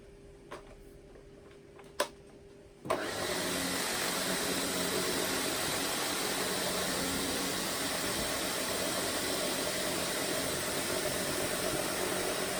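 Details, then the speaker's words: Sebo K3 Premium vacuum after a heavy pet-fur pickup test: a few clicks, then a steady, high, strained rushing whoosh from switch-on, with the dust bag completely full. "nope I have a feeling that bag is now completely full yes it is"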